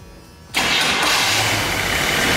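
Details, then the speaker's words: Barn-find Corvette Stingray stored 34 years, after oiling the cylinders: quiet, then the engine catches on starting fluid and roars into a loud, ragged run; engine firing on starting fluid after long storage. "we're gonna need some starting fluid let's try to get this thing a little bit of a little bit of life into it hopefully it doesn't start on fire see what it does"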